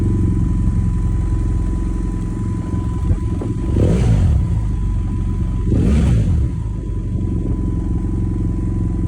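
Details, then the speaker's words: 2011 BMW GS800 with K&N filter, open exhaust, Power Commander 6 custom map and recalibrated throttle position sensor, previously stalling when warm: steady, even low thump of the twin at zero throttle with no misses or hunting; normal idle. "It's nothing extreme, it's very balanced, and the idle is perfect."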